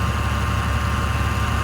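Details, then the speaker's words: Salvage-auction Bentley Continental GT W12 twin-turbo, hood open, idling in a closed area; smooth even low hum with no stumbles, ticks or knocks; running like a dream, purring like a kitten. "it is listen to it she is purring like a kitten man"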